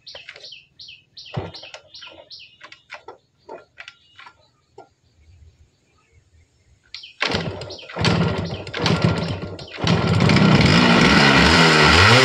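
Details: Yamaha RX100 two-stroke motorcycle, first start after about 10 years standing: several kick attempts with sputters, then it catches and settles into a busy, crackling idle, running again.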